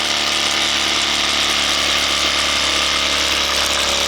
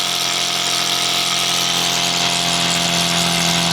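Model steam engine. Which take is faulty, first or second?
first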